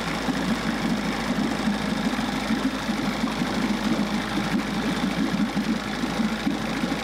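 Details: Fast, even two-stroke buzz with steady rattly beat, no stumbling: 1994 Johnson 6hp outboard idling well with thermostat removed, running much cooler and pumping good water; thermostat to be replaced.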